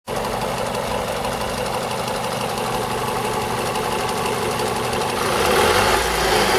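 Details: 2002 Toyota RAV4 engine: fast, fairly regular metallic tapping over the idle that grows as revs rise; top-end engine knock, owner suspects the VVT-i coupling, unconfirmed.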